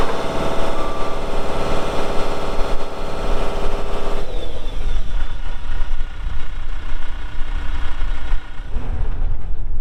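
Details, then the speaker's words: 2018 Dynapac CC5200 double drum vibratory roller with 135 hp Cummins diesel and 6,764 hours, both drums vibrating. Steady, deep, evenly firing diesel drone with a constant low drum hum; engine and vibrators working properly. "so here in a little bit we'll fire it up and you'll see that it runs good both drums are vibrating as I get up close to them here"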